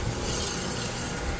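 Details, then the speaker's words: 2005 Triton trailer with DB-42 brakes, wheel raised and turned by hand before brake pad replacement: steady rough scraping rasp, no clean spin; worn brakes grinding. "she's grinding"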